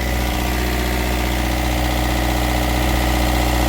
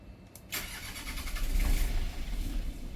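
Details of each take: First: Westerbeke diesel generator on a boat, previously only clicking without cranking, now a steady, even drone with smooth low rumble, no knocks or misses, after cleaning ground terminals and battery cables; running normally. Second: Boat's Westerbeke diesel generator, which would only click and not crank, after its battery cables and grounds were cleaned: starter cranks and the diesel catches and runs a bit lumpy and low, since it has hardly been run.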